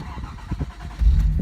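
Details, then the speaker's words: 1981 Datsun 280ZX T-Top, fully restored with under 1,000 miles since restoration, started from the driver's seat: short crank with uneven low thumps catches after about a second into a strong, steady rumble; clean, healthy start. "Nice and strong."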